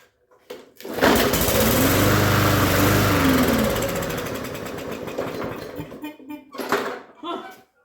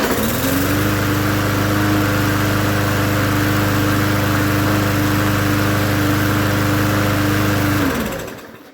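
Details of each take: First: Free push mower, no air filter, oil looked overfull, gas squirted into intake: catches, revs rough about four seconds, then sputters out, running only on primed fuel; smoked a little, owner suspects overfull oil; old gas removed afterward. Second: Free, previously unknown-condition push mower, first start after oil check (looked overfull), carb cleaning and fresh gas: fires and settles into a steady, even drone for several seconds before shutdown; runs healthy.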